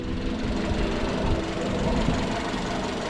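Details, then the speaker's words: 2015 Jeep Renegade 2.4 at idle, also with intermittent misfires; steady hum and whirring drone from drive belt, stethoscope finds lower idler, A/C compressor and alternator quiet, belt tensioner pulley loudly humming. "так явно слышен звук испорченного ролика гудит беру ротоскоп и слушаю"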